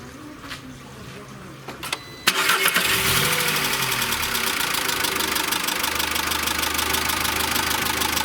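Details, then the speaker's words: VW Caddy 2.0 BSX petrol (factory methane, higher compression, diesel-like note), after new Bosch leads and NGK plugs cured misfire: starts and idles with fast even metallic top-end ticking, one or two valves/hydraulic lifters clattering; cause unconfirmed. "Но при этом отчетливо слышно стук клапанов."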